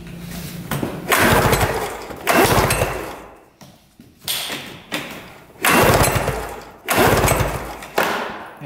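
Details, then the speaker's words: Arctic Cat Panther 440cc snowmobile that had been sitting and died while being ridden last year. Repeated rope pulls, each a whirring churn fading out with no firing stroke; zero spark and no start (CDI suspected). "but he's definitely right there's zero Spark"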